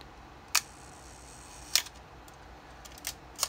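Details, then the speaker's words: Nikon F Photomic 35mm SLR shutter fired at 1/4, 1/2 and 1 second; sharp click, second click about a second later with faint mechanical hesitation, the 1-second speed very slow and inaccurate, speeds past 1/4 second running slow. "This is 1/4 of a second, 1/2, and this is the 1 full second. Now, the 1 full second is very slow and it is not accurate."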